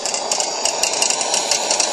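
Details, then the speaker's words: Coleman 625A lantern burning with quick, uneven tinny rattling over a steady fuel hiss; worn valve-assembly eccentric where the generator rod clips on has play, rattling under full pressure. "but what that noise is is the part where the generator Rod Clips on to The Eccentric inside the valve assembly has play in it and the pressure causes it to rattle"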